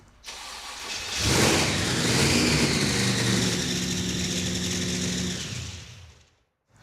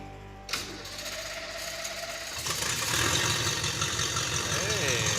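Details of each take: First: Blown, carbureted engine with gas pouring down one side of the blower: it catches and climbs to a fast idle of about 3,000 rpm that never settles. Vacuum leak suspected, none seen at a glance. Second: Project car's engine, on the first start in a long time: a click, a short crank, then a steady, even idle with oil pressure and no smoke. Water then sprays from cracks in the carburetor hat; head gaskets suspected.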